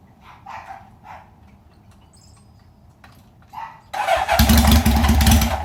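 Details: 1971 Honda 750 four in a 1968 frame, first cold start after 15 years in storage, carbs just rebuilt: a few quiet ticks, then it catches at once and settles into a strong, even, throaty run; starts and runs fine.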